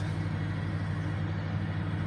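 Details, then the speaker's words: Car at idle with no stored trouble codes, live data showing fluctuating rpm and high manifold pressure: low idle with uneven stumbling pulse and wavering beat; misfire on cylinder 4, confirmed by exhaust waveform. "طبعا تبقى هي المشكله هنا عننا مس فاير هنا ميس فاير هنا ميس فاير"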